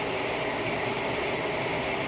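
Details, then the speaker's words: 2010 Jeep Wrangler JKU after front driveshaft replacement with an upgraded unit, fixing 4WD clicking: test drive up to 45 mph with steady even road and wind rush, no rhythmic thump or drone and no driveline vibration. Fixed; light bar adds some noise. "I don't seem to feel any Driveline vibrations up to 45 miles an hour so I'm gonna go ahead and uh call this fixed"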